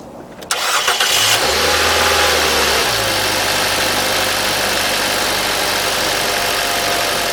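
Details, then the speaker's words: RV engine after a dead battery on a frosty winter morning (down to 21°F overnight), started with a NOCO GB70 jump starter in normal mode, no booster needed: brief starter whir, catches within seconds, settles into a smooth steady idle. "we didn't have to just just the normal jump start worked for us"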